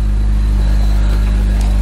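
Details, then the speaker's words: BMW E46 330i, M54B30, after M50 intake swap, ICV delete, 76mm N52 throttle body and Rally Road fuel rail, with a likely vacuum leak fixed; steady even low idle with no hunting or surging, smoothest it has run; normal idle. "so right now it's actually not bad at all this is the smoothest it has run see if it starts to bounce or"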